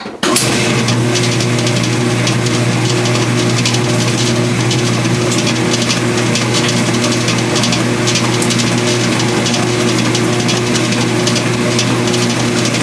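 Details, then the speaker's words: Speed Queen washing machine during agitation, not spin: loud steady drone with light metallic jingle like coins or pennies rattling; a loose washer vibrating and jiggling, fixed by greasing the washer. "it sounds like a bunch of coins or a bunch of pennies inside the machine rattling and it turns out that there's a washer that vibrates and jiggles around and if you put some grease on that washer it solves the issue"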